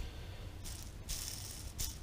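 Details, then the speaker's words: BMW/Awtowelo/EMW R35 motorcycle final drive main bearing spun by hand after decades of heavy use: gritty loose rattling in bursts; risk of failure, to be replaced. Worn ball bearing. "hing is the final drive main bearing take a listen uh yeah so if you ride on bearings like this there's also a chance that this whole thing will grenade replace them"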